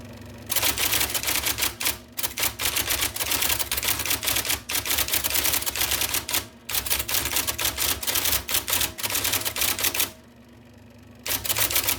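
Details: 1979 IBM Selectric II (non-correcting), revived after fixing a miswired plug, then cleaning, flushing and lubricating parts: crisp, even rattling strikes in quick bursts with brief pauses over a soft motor hum; normal typing.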